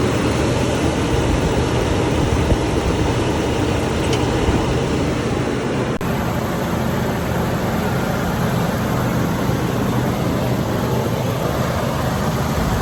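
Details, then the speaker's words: 1984 GMC Sierra Classic just started: steady, even low idle with no knocks or misses across the whole run; 60 psi oil pressure, running a touch rich, normal idle. "I mean, that thing sounds really good. I mean, right? Listen to it. Just purring."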